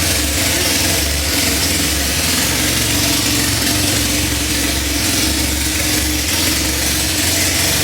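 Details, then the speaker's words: Honda Civic EK hatch, 2.4 high-compression, suspected big cam, turbo removed, naturally aspirated front-wheel drive on a base map, first start with no exhaust fitted: loud, raw, steady lumpy idle, no knocking or ticking; normal idle. "Start that thing up. Thing sounds like you got a cam. Big cam?"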